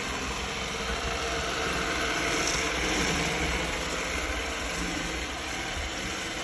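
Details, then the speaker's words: Roomba S9 vacuum after cleaning head replacement: steady rough whooshing grind pulsing about four times a second; new head did not fix the puffing grinding noise, source unclear. "Sounds like replacing this cleaning head did not solve the problem. This was the old one. But it seems like it's still making this puffing sound, puffing grinding sound."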